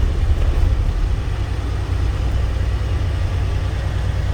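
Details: 2012 Volvo truck, cold after sitting over two months, low fuel, aired up: deep, smooth diesel idle holding a constant low beat without stumbles, knocks or whine; runs smooth, normal idle. Turbo actuator and fuel work possibly done previously.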